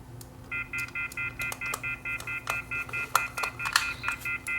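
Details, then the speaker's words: Northern Telecom corded landline phone after earpiece speaker repair, handset left off the hook: rapid, evenly spaced high beeps about four a second repeat; the off-hook warning tone. "because my phone not hung up it's gonna start deep deep deep deep in a second"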